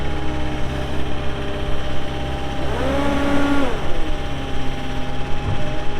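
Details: 2018 Caterpillar 262D skid steer diesel, 1,242 hours: steady, even idle with a short smooth rev rise midway, no knocks or misses; normal start and idle.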